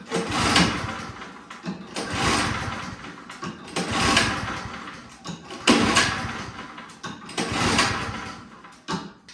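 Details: Toro Power Clear single-stage snowblower on full choke cranks in bursts roughly every two seconds and never catches; no-start from a gummed-up carburetor.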